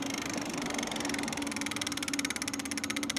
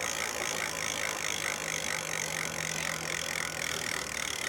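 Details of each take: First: Lectric XP 750 W folding eBike, wheel spun after throttle release: steady mid-pitched hub motor hum keeps driving when it should cut and coast; owner suspects internal motor controller fault, before controller replacement. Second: Lectric XP 750 folding eBike hub motor after parts replaced: no motor hum under the hiss, then quick even ratchet ticking as the wheel coasts; hub freewheels normally.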